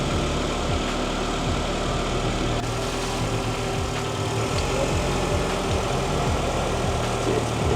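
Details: 2005 Honda Accord CM7 after A/C compressor replacement and recharge with about 20 oz: steady even idle, smooth low hum, faint compressor whir, no knocks or squeals; A/C blowing cold, running normally.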